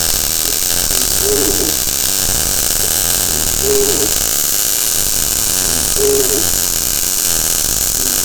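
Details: Blue Demon 140MSI MIG welder running a full bead, wire speed backed off below starting setting after wide open was too much: constant frying hiss with steady crackle, no sputter breaks, normal well-tuned arc.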